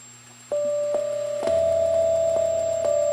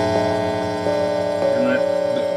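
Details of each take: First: MIDI-controlled Hammond tone generator that had 60 Hz hum, after inserting a passive two-channel hum destroyer (PHE 300) inline on the output: steady clear organ-like tones change pitch with no buzz; clean output, no hum. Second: MIDI-controlled Hammond tone generator with all tones open, Arduino connected to a computer by USB: steady low buzz under a constant tone; 60 Hz mains hum from a ground loop through the USB connection, USB isolator ordered as the fix.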